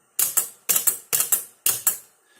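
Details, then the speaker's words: Realistic TR-169 8-track player, no cartridge inserted, head-shift solenoid triggered; four crisp double clacks about half a second apart, clean snap and release, head shift working properly. "There we go, it shifts the head around."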